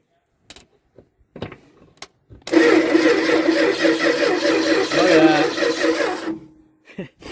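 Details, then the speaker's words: 1973 Dodge D200 pickup, 360 V8 with 727 automatic, sat 8 years: in park, key turned, a steady high-pitched whir runs about four seconds and stops without the engine firing; owner suspects a sticking starter relay, not the ignition switch. "so i think our starter relay is sticking yeah so i'm not gonna make it any further without a relay so that's the story there"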